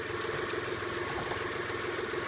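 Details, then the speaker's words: Car with lifter tick, about an hour after adding STP oil treatment, at idle: steady, even idle with soft uniform hum and no top-end ticking; lifter tick gone. "and now you can hear that there's no more lifter ticket pretty much went away"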